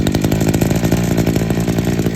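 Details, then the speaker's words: Two-stroke strimmer started on mixed fuel, idling about 20 seconds on half choke to warm up: quick, even buzzing beat with no misses or surging, settling into steady idle; normal two-stroke idle. "I have to say I do actually enjoy the sound of two stroke idling"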